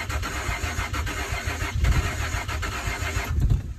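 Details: Truck on its first start attempt after new spark plugs and a replaced fuel filter, with a fuel line repair kit fitted at a stripped filter bolt: uneven low cranking rumble that never catches into a firing rhythm, so it cranks but won't start.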